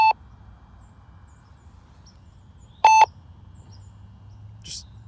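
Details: IX12 transmitter giving two short, sharp electronic beeps about three seconds apart in a quiet room, even mid-flight; random alarm of unknown cause, owner guesses it relates to having Wi-Fi and Bluetooth turned off.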